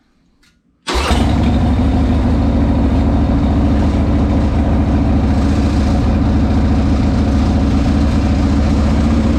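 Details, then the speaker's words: 1998 Harley-Davidson Sportster V-twin after Dynatek ignition install with static and dynamic timing set: fires up and holds a strong, steady lumpy idle with even beats and no misses; sounds good, timing may need slight tweaking. "Okay, so we got the timing plug back in, and you're right, you know, oil kind of goes everywhere when you do this, but I might have to tweak it a little bit more, but it sounds pretty good."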